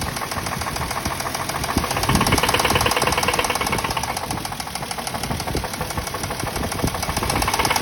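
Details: Toyota Mark II engine: a sharp, fast knock at about three per second rides steadily on top of the idle, a clear internal engine knock.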